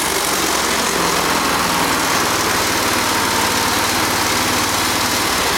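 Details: Go-kart engine in race kart mode held at full throttle, steady high governed buzz at about 5,220 rpm (target 5,200–5,300), no surging or misses; normal full-throttle run within range.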